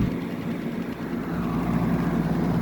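A steady low hum with even airflow and no rattles or surging; the window unit sounds healthy and is running normally.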